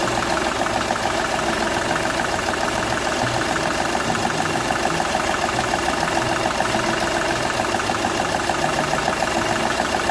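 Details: Seat Ibiza 1.2 TDI diesel idling: steady clatter with an uneven chuff once per cycle, compression loss on cylinder one escaping past a burnt number one injector seal.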